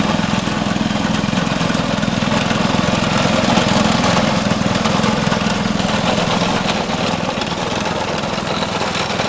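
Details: Vintage Craftsman 18" snowblower, rebuilt 3.5 hp Briggs single-cylinder, after carb fine-tuning: steady, even beat at high throttle, no misses or surging; running cleanly.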